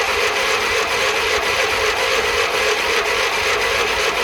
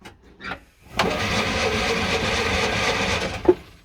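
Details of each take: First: Classic Fiat 500 small air-cooled engine after electrical repairs, run briefly from a jerry can: a steady, even buzzy run with no knocks or misses. Oil and generator lights go out, showing oil pressure and charging. Running normally. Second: Classic Fiat 500 after electrical fixes, choke on, only quick-start spray and no real fuel: about two and a half seconds of steady cranking whirr with no firing or catch. It turns over but won't start, starved of fuel.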